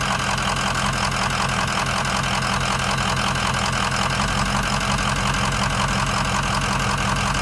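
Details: 2004 Ford Excursion 6.0 Powerstroke with head studs, EGR delete and blue spring; loping rough idle, stumbling beat two or three times a second after spirited driving the night before, caused by failed #7 injector, fixed by replacing it.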